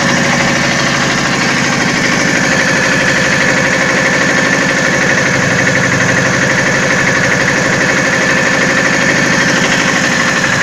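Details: VAZ 2109 with 1.8 L 8-valve 107 hp engine after engine repair: steady, even idle with fast regular beat and light ticking layer on top, no misses; runs smoothly.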